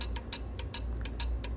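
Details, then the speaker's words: AC PCB compressor relay energised by touching 12 V from a charger to its coil: sharp, even clicks about every quarter second; the relay connects input to output correctly and is good. "क्योंकि ये output supply दे रहा हूँ चट चट करके आवाज़ आ रहा है। देखिए इस तरह से। ये रिले हमारा सही है।"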